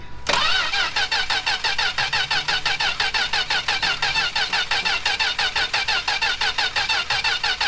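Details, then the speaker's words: 1967 Plymouth Valiant slant six after years stored, cylinders fogged, coil and plug wires checked connected: steady starter cranking, about one compression pulse a second, never fires; crank no-start, owner judges no spark ("she would have coughed by now"). "Stop. She don't have spark. She would have coughed by now."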